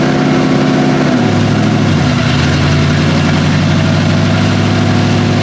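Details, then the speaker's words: 1977 Pontiac Grand Safari wagon, 301 V8, first run after about 30 years parked: steady, even idle while shifting through reverse, neutral and drive. Revs sag briefly on engagement, then settle with no clunk or slip; the transmission engages and shifts normally. "Let's run Let's see if we got gears. All right, let's try reverse. Yes. Okay, neutral. Drive."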